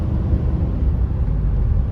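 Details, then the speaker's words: Cheap Infiniti QX56, previously missing and herky-jerky, check engine light still on, driving after repair: steady low cruising drone, no stumble or jerk under throttle, pulls evenly; no more miss. "Well, I can tell you it does drive better. We're not getting that miss or that, you know, pulls good."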